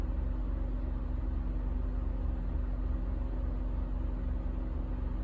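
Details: 2007 Honda Ridgeline V6 misfiring on a cold first start, with the VTM4 light: a deep, lumpy, stumbling idle with an uneven beat, rough only when cold.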